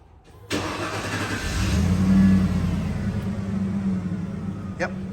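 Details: 1995 Ford F150 that would only click, after a second reman starter was fitted when the first was bad: starter cranks briefly, the engine catches first try and settles to a steady, even idle; normal start.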